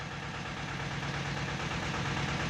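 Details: Tata Ace Zip XL diesel, towed in with no-start and fault code P0090 (fuel pressure regulator); steady diesel clatter at idle with even low rumble, no misses or knocks; engine sounds healthy.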